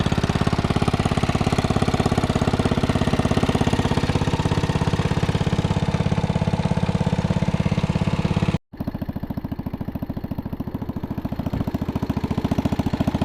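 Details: 1961 International Cub Cadet Original tractor, 7 hp Kohler single-cylinder, being driven after new tubes fitted: steady, even thumping at constant speed, no knocks or misses; engine running smoothly and healthy.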